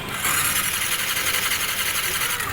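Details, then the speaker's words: Sniper 155 motorcycle that won't start, with the engine check light on. The starter whirs fast and even with no chugging beat: loose/no compression. A leaking intake or exhaust valve or the piston is suspected; head and block to be inspected. "kung maririnig niyo ah masyadong maluwag ung pagkaka n starter so wala siyang compression loose compression"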